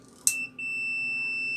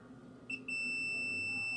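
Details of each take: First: Angle grinder that won't switch on, switch tested with multimeter: one click then a clean steady continuity beep from supply line through one side of the switch, that side good; the other side is faulty; continuity beep, switch contact good. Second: Angle grinder that won't switch on, meter probed at the switch points feeding the winding, commutator and brushes: a clean, steady high beep holds, showing brush circuit continuity is OK and the brushes are fine; the switch is checked next.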